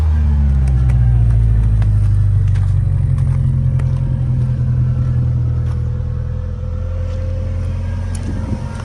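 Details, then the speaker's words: 1993 Ford Mustang 2.3 four-cylinder after head gasket job and cam timing issues, running with number four plug wire broken. Lumpy, uneven running with stumbling low beat that never settles; misfire from spark plug wires in wrong firing order. "I had the firing order wrong."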